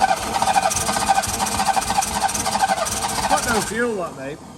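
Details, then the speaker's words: Engine turning over at an even chopping rhythm for several seconds without catching, then stopping; suspected fuel starvation, gravity feed not dragging fuel through and a pump thought needed, carb clean inside; cranks but won't start. "got no fuel is it even any fuel in the C it needs some fuel we need a pump on it gravity Fe is not going to work mate"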